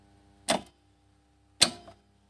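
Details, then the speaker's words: 3-phase farm motor starter after tightening: two crisp clacks as it switches off and on, with the former loud buzzing completely gone. "तर पहा पूर्णपणे स्टार्टरचा आवाज बंद झालेला आहे"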